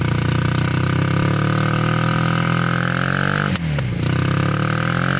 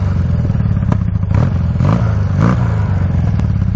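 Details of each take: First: Honda trike with swapped CM400 automatic twin, long stored, rusty tank: steady drone that sags and stumbles when put into gear, then recovers; carbs leaking gas, owner suspects carb clean needed. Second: Honda trike with CM400 engine: steady low even thump at idle with light mechanical clatter on top, no misses; starts first kick every time and idles perfectly.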